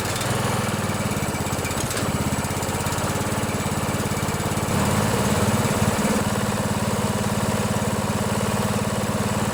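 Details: 16 HP Briggs & Stratton single-cylinder OHV riding mower engine after valve adjustment: steady, even thumping at constant speed, no ticking or misses; running normally.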